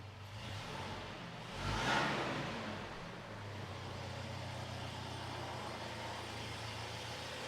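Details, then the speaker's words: 2006 Toyota Tacoma 2TR engine, first start after refilling oil and coolant and reinstalling intake; quiet steady idle with one brief rev blip, no ticking or knocking, oil pressure light off, coolant being drawn down; normal idle. "sounds decent it's got coolant oh it's suck that coolant down going to go throw some more coolant in it"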